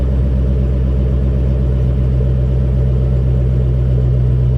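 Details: Square-body truck with stock 5.3 V8 swap, stock manifolds, 2.5" pipe, Flowmaster Super 10 mufflers and turn-downs before the axle, on cold start: deep even V8 rumble, healthy idle through the exhaust.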